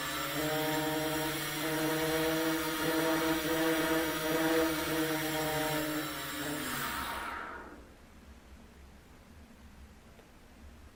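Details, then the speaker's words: SunnySky Angel A2215 800 kV brushless multirotor motor, run without propeller after a crash loosened its magnets and they were reattached: steady, even whine for about seven seconds, then shuts off; now running normally. "então você vem com motor tá girando lá normalmente tal ele tá sem a hélice agora"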